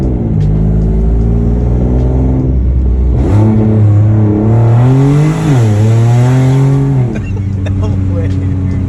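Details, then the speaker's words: 800 hp Nissan GT-R recorded on a phone while cruising home gently: a deep, booming low drone rising and falling with revs, sounding tractor-like; owner suspects an exhaust leak. "i was just cruising home me and the homie jordan and we started hearing like a weird like drone noise like a very deep noise"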